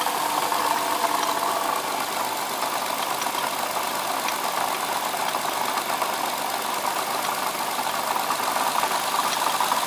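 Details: 2007 Lexus IS350 idling: fast busy metallic rattle, knock and faint squeak from the front side of the engine; owner suspects a bad water pump, cause unconfirmed.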